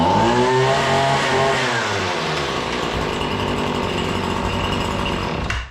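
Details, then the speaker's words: Two-stroke trimmer, cold-blooded type, still needing extra pulls: it catches and revs, then settles from a high buzz into a steady, even drone, starting and running normally. "okay that was funny you made a liar out of me but anyway i just feel like i got a yank on it more than i thought i should well more than i do the other ones"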